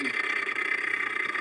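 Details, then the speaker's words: Continental refrigerator: rapid ticking rattle, about thirty taps a second, over steady high hum as built-up ice catches the evaporator fan; stops when door is opened. "Tá vendo é o gelo tá forçando e prendendo E aí ela tá fazendo Esse barulho tá encostando a ventoinha entendeu"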